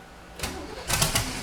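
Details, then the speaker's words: 1971 Datsun 240Z "Rotsun" turbo engine, fuel pump heard: cranks, catches with a couple of sharp bursts and settles into a rough-edged idle; clean start once fuel arrives. "Make some noise. Fires right up. Oh, it wants to go."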